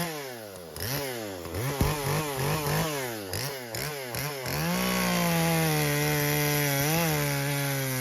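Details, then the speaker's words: Husqvarna 120 Mark II chainsaw after carburetor adjustment: blips, then strong even steady howl through the cut without bogging; carb well set. "so you can see our carb is set pretty good it cut through that piece"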